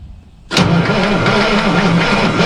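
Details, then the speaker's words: 1990 tri-axle dump truck diesel, parked from June to April, cold weather and not plugged in: starter drags the engine slowly and unevenly with a labouring rumble, too slow to fire, despite freshly charged batteries from another truck. "it's not turning over fast enough but it's not because these batteries are low right I just pulled them out of that truck and I know they were charged"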